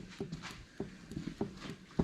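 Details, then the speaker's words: Ford 9-inch third member with Eaton TrueTrac, gear rocked by hand during dial-indicator setup: light single thuds about every 0.6 s, only a tiny thud; ring and pinion backlash within spec. "so you see like this thing is just barely moving like I don't even know if you can hear it"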